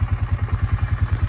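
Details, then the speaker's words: Honda Fourtrax 300 single-cylinder ATV idling after new exhaust install: steady clattering tick at each firing pulse, about eight per second, not real bad; owner suspects cam chain or tensioner, not sure. "I gotta maybe deal with that knocking sound. Sounds like the cam chain or the cam chain tensioner."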